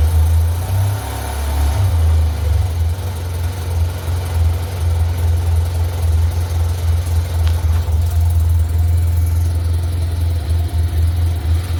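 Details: 2008 Yamaha T-Max XP500 ABS scooter, first start after over 3 months at -1°C, battery left installed; steady low idle pulsing evenly after the cold start, no knocks or rattles; normal cold start idle, engine sounds healthy.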